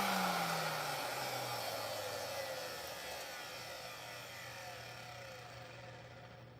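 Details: Bissell vacuum with a no-power fault, switched on; the fault turned out to be the repairer's own mistake: steady smooth motor whir that slowly drops in pitch and fades as it winds down; motor runs normally.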